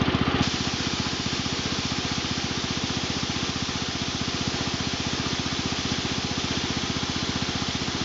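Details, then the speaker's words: John Deere Model 20 air compressor on a 110/112 round-fender garden tractor, replacement tank: crisp even pumping pulses about four per second over engine drone, bypass valve popping at set pressure; normal operation. "so that's the model 20 air compressor that's how it how it operates"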